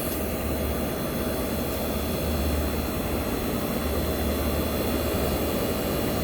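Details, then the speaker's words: 1965 Fedders Weatherwheel air conditioner on high cool, with the microphone near its Tecumseh AJM compressor: even, steady hum plus a smooth rush from the recently cleaned fan motor. No knocks, rattles or cycling, so compressor and fan run normally. "This is the Tecumseh AJM compressor running. So yes, guys, you might tell me this sounds like the Chrysler, but you are right."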